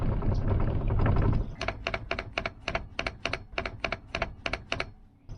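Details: 1998 Jeep Wrangler seat with custom 3D-printed bushings fitted to stop the seat rattle, seat rocked by hand: quick series of soft plastic clicks, no metal hitting; new bushings have stopped the rattle.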